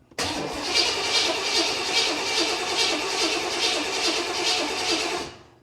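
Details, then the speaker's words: 1979 Corvette crate motor first start, after realigning a part thought to stop fuel: steady starter cranking about two or three turns a second with no firing, no fuel seen pumping, then fades as battery dies; crank no start. "never be that easy would it I don't see any fuel pumping and I believe my battery just died"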